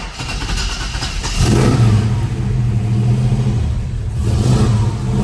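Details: 1971 Chevrolet Nova, rebuilt 454 V8 bored .030 over, Edelbrock intake and headers, AVS 750 CFM carb, MSD, new dual exhaust, TH350: cranks and catches at once, then a deep, steady, even idle with no knocks or misses. Healthy start.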